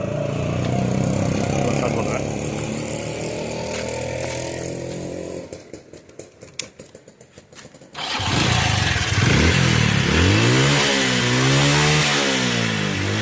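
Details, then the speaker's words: Small bike engine restarted and revved: a hollow, rattly clatter over the beat, with oil in the silencer and white smoke. The cylinder bore is worn and must be replaced. "நீங்களே பாத்துருக்கீங்க இதுல வண்டி ஒன்னு wide smoke வருது. ஓகேங்களா அதனால கண்டிப்பா போர் மாத்திதான் ஆகணும்."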